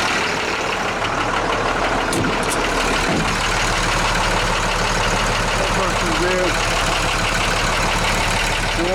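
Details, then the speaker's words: International truck DT466 diesel at rough idle after a cold start, fuel solenoid not working: loose, uneven tick about three per second; owner still thinks it's a lifter, possibly injector knock, unconfirmed. "with that noise that's in the engine not which I think is I still think it's a lifter it could be an injector knock too"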